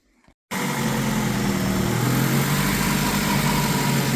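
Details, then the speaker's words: Honda Civic Si with a swapped-in junkyard engine, after replacing a leaking intake gasket that caused a coolant leak, clutch tested OK: catches and settles into an even, steady idle with a smooth low rumble and no ticks or misses. Normal idle. "Sounds good. We already tested the clutch and everything. Everything's all A-OK."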